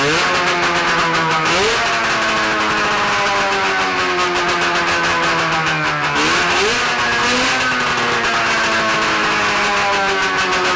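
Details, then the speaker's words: 670cc Bombardier two-stroke twin snowmobile engine (early-90s Arctic Cat), on expansion pipes with no muffler, test run: loud, crisp revving that settles back cleanly, even firing; sounds healthy, though throttle returns slowly. "whoa that's louder than straight pipe 750 Oh easy my ears haha they're bleeding um it sounds so healthy sounds good"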